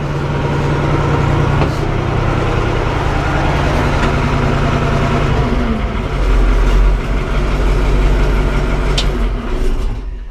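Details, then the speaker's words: 4-150 tractor engine running after revival work, owner planning arm bushings for a shaking issue and suspecting the aftermarket key switch; deep, even thrum with steady beat, smooth as revs shift slightly, normal running. "Dang, it sounds good, but them pipes just look so damn stupid."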